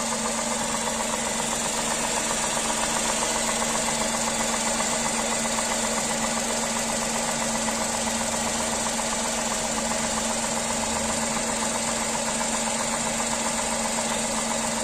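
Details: Tata Tiago three-cylinder engine at idle, bonnet open: steady, even idle with a fine, regular shake of about four pulses a second and a light buzz; normal three-cylinder idle vibration.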